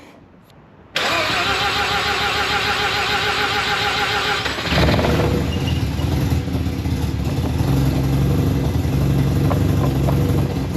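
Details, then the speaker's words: Freshly rebuilt Mazda RX-7 FC 13B NA rotary, first start on old spark plugs: brief cranking, then it catches and runs unevenly at a lumpy, hunting idle; idle opened fully, but it won't hold idle and won't restart. "Well, it started, but the idle's rough, so I got to figure something out. I'mma just open up the idle fully. See if it'll hold idle."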